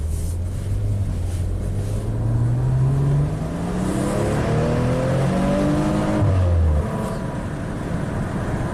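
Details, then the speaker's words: 2016 Maserati Ghibli twin turbo on a test drive after timing chain replacement, tires at 35: the engine note rises smoothly under gentle acceleration with no knocks, rattles or chain slap. It drives as good as new. "Alright, so the Maserati drives absolutely as good as new with new timing chains."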